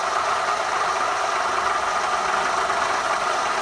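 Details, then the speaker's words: Toyota Vitz KSP90, 1.0 L three-cylinder 1KR-FE, about 250k mileage, at idle after throttle cleaning: even idle with a steady rattle and mid-pitch whirring from the noisy original water pump, due to be replaced; water pump bearing noise. "Ну, как вы можете видеть, на данный момент слышим стук. Стук этот из-за того, что вот она родная помпа. В ней шум."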